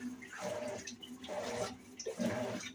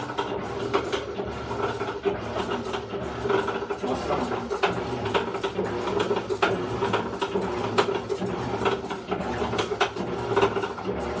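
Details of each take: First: Electrolux LEC14 washing machine after replacing the cam part in the agitation mechanism: water swishes quietly during agitation, earlier loud noise in agitation and spin gone. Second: Electrolux LEC14 top-load washer: loud, fast ratcheting clatter during agitation, also noisy in spin; a worn, loose coupling cam (camis gear) is at fault.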